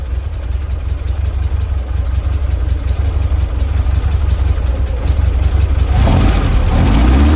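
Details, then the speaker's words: 1967 VW Splitscreen flat-four after service with tidied HT leads and fuel lines: deep steady thrum, picks up cleanly on a blip, no popping; earlier backfire gone. "That's a hell of a lot better. Before I was getting a little bit of a backfire."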